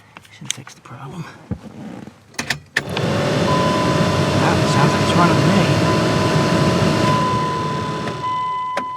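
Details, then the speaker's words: 2001 Dodge Ram 1500 blower motor after reassembly, with corrosion found in the resistor-to-blower connector and bypassed. Clicks, then a smooth, steady whir that winds down cleanly; all speeds working, motor and resistor fine. "that sounds much better. All speeds are working."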